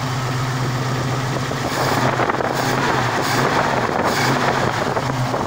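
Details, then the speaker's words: Ford Mustang with 302 stroked to 347 small-block V8, 750 cfm double-pumper carburetor, running after two years sitting and ignition rewiring: idle lope climbs cleanly into steady rev with no stumble or bog; normal throttle response. "see there's no hesitation in that"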